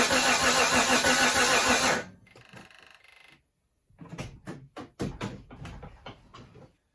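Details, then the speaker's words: 1991 Mitsubishi Montero RS, freshly rebuilt engine, coil disconnected to prime oil and coolant: loud even starter churn for about two seconds, no firing, engine spinning freely; normal cranking without ignition. "So what I've done here is I've disconnected the coil. So we're gonna give it a bunch of cranks, make sure that there's fluid going throughout the whole thing, make sure oil and coolant are getting circulated."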